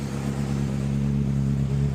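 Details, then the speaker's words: 2010 Honda CBR600RR after oil change, new battery and starter relay solenoid, just started and warming up: short burst of smooth, steady low idle with even pulse, no rattles or ticks; healthy. "Now, let's give her a go. Sounds good. Let her warm up."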